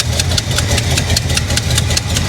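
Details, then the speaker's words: 1985 Chevrolet El Camino V8, salvage car, idling with sharp, quick ticking puffs in time with the firing pulses; a header leak is suspected on one side, cause not yet confirmed. "i hear a header leak is what i hear sounds like it's coming from somewhere over here"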